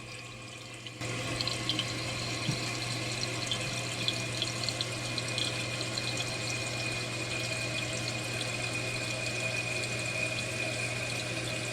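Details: Newly installed Fluidmaster 400A toilet fill valve, replacing a loud, water-spitting one, refilling after a water-level adjustment: a steady, even rush of water with a low constant hum and no spitting or squeal. Normal refill.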